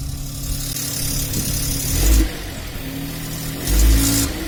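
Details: Seat Toledo 1.0 TSI 81 kW, just after cold start, outside temperature above 20 °C: loose rattle over idle that swells with two short throttle blips; cause not yet found.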